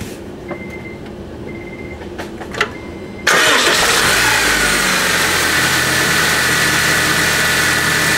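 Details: 2008 Honda Civic cranking, starting and idling with a steady high whine, which began after new pulleys were installed; likely belt-drive related, cause unconfirmed.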